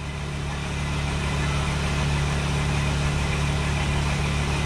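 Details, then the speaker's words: 2008 Mercedes Sprinter diesel after a rail pressure regulator reset: steady low churning that nearly catches but never idles, and the battery light comes on. Owner suspects lost pressure from leaked fuel and that the rail still needs to pressurize. Crank, no start. "Did it cut on? No, it just shut off. It almost sounded like it cut on."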